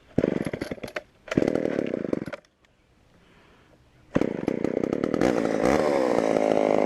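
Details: Auction-bought Homelite Super XL chainsaw first start on secondhand non-ethanol boat fuel: bursts, cuts out, stalls briefly, then ragged uneven revs at bottom end; lean low end, needs carb adjustment or diaphragm to soften.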